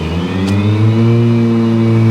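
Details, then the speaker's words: RYOBI 80V Z54Li electric riding mower, blades set to high (96%), deck lowered to about 2 inches for mowing. A smooth hum rises as the blades spin up, then holds a steady, even whir with no rattle or scrape. Normal blade operation. "I've got the blades turned on high. As I said earlier, 96%. Now you get some noise."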